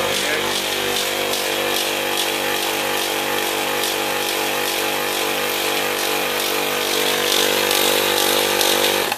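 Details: Copeland ZB42KCE single-phase scroll compressor on about ten-year-old milk-tank condensing unit, restarted after not pumping: steady hum with rough pulsing rattle about three times a second; noisy and not pumping properly.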